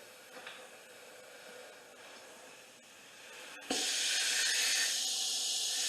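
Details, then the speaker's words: 2013 Dykon Express scooter, salvaged after sitting, being aired up: loud steady hiss starts suddenly and holds as air escapes past the tire bead that is off the rim; owner suspects this is why it stopped being ridden. "first thing I want to do is get this tire to air up it's off the bead I believe that's the reason why they stopped riding it"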